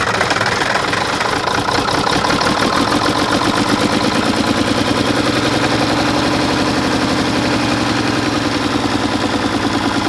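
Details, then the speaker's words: 1960s Mack diesel truck, second-day start attempt after sitting: stumbling, shaking, uneven lumpy running with a missing cylinder; injection pump rack loosening, pump suspected faulty. Rough running diesel, injection pump fault. "It is really rough, guys. And I would almost say too far gone, but there it is, Bobo."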